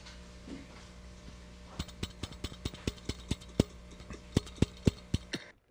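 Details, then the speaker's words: Ampeg tube amplifier being converted from a 7199 phase inverter to a 6U8A: sharp metallic pings through a steady hum, microphonic rattle from the vacuum tube's loose internal elements. "Microonic rattle starts to happen when internal elements of the vacuum tube start to physically and mechanically rattle. And you can hear it in the audio path. You can also hear it outside the audio path."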